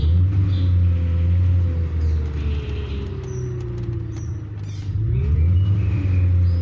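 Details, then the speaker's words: 2000 Ford Mustang 4.6 V8 with coil-on-plug, misfire persisting after tune-up with no codes: uneven lumpy idle with chuffing and pops in the exhaust; shaking worse in reverse; cylinder contribution test under way. "yo desde aquí alcanzó escuchar en mi escape como esta pues petardeando"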